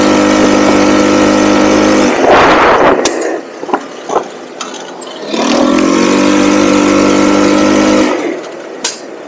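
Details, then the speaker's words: Cheap buggy's small engine, hot, riding after re-jetting the carb with a 120 jet; revs cleanly, holds a steady drone, drops back twice, faint occasional stumble; smooth running, owner attributes remaining hesitation to the pilot jet. "you can just tell that is so much better there's still a little hesitation every once in a while but I mean it it's it's night and day there"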